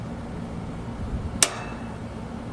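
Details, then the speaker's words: American Standard/Trane AC condensing unit contactor, some wires removed for view; spring-loaded center contacts pulled in when powered, giving one sharp clean click over a quiet hum; contactor closes normally. "uh the little Center contacts are are kind of popping out they're on Springs and then when it's turned on the thing gets sucked in"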